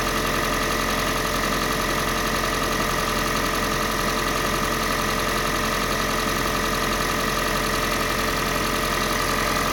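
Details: Kia Sportage 3, G4NA engine on Total 5W30 oil: steady idle with a faint, fairly quick tapping running through it; engine knock at idle, source not pinned down.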